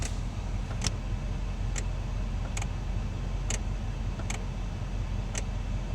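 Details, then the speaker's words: Vehicle with no heat, scanner commanding blend door actuators (error messages, can't control them): sharp, fairly regular clicks about once a second from behind the dash; suggests an actuator struggling to move the door, not confirmed. "And we could already hear a noise coming from behind the dash."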